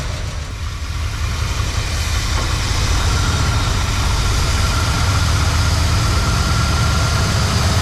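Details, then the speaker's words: 1976 Ford F-350 Ranger Camper Special, first start with the carburetor reinstalled and a jumper wire from distributor to battery: a lumpy, uneven rumble with one cylinder dropping out. Misfire from fouled spark plugs; it was also leaking gas. "Sure don't run very good. No, it's all act leaking gas, too. That's seven. That's as good as the four drones, isn't it? I think we got some foul plugs."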